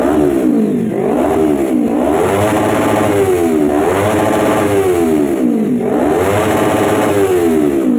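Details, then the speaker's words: Kawasaki Ninja 250R FI twin revved to the limiter after a part was replaced to cure top-end stumbling and exhaust popping; now revs up and falls back cleanly with no misfire. Healthy free revving. "nah seperti yang sahabat biker dengar sekarang jadi ringan ini tarikannya Oke atas bawah mantap"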